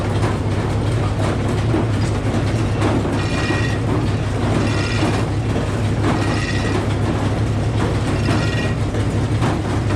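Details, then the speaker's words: Old Frick sawmill driven by 605 cubic inch engine, big blade turning: steady heavy engine rumble with loud metallic scraping every second or two; worn carriage pulley bushing on 7/8 inch bolt grinding. "So that noise we all just heard sounded like metal on metal. That's clearly not right. Everyone here at the sawmill heard it. It was loud."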